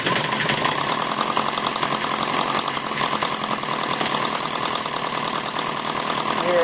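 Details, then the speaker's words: Maier TA4 after tuneup, at low idle: fast, busy patter firing on every stroke with no gaps or stumbles; normal idle. "it's a nice little idol there you know it's running real uh firing every time when you can get a title"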